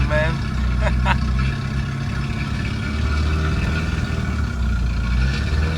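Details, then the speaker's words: 2008 Toyota Ractis 2SZ-FE, first start after home engine rebuild for oil burning: loud raw unmuffled note with uneven hunting idle, caused by a disconnected throttle body vacuum hose and disconnected exhaust. "So at that point, I discovered that one of the cables, actually vacuum cables that connects to the throttle body, was disconnected. That's why the car was misbehaving like that. And also, I had the exhaust disconnected. That's why it was making that loud noise."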